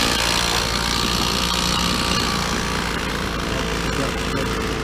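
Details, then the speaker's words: Petrol two-stroke trimmer after its carburettor was removed and refitted, primed and warming up after a no-start: a fast, buzzy note holding steady at high speed without stumbling; the repair was successful. "Got to let it warm up. No problem, just want it warming up."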